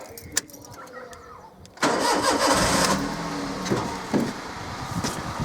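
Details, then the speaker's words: 2006 Toyota Yaris 1.0 VVTI after replacing snapped middle exhaust section and reconnecting lambda sensor: cranks, catches cleanly, settles to steady quiet idle with light blip; no blowing or rasp, normal, no lambda warning light. "Go, nice and quiet."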